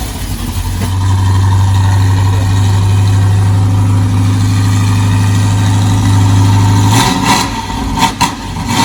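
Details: Truck fitted with a Holley mid-mount setup and a new custom hydraulic power steering hose, started after fuel pump priming and heard out back; deep, steady V8 burble at even idle with no knocks or misses, brief rev; normal healthy idle.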